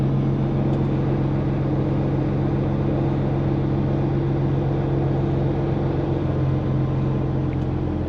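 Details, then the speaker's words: Diesel dump haul truck on test drive with bed lowering: steady diesel rumble with a loose, uneven fluttering rattle on top from the exhaust rain cap flapper, awful noisy. "we may have do something about that rain fly back there it's awful noisy here"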